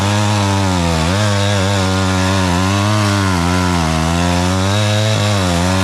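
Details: Homelite 240 chainsaw, owned about 20 years, running again after sitting, once the air filter was cleaned and it was reassembled. Its steady two-stroke buzz sags and recovers as it bites into the wood, pulling cleanly with no stumble.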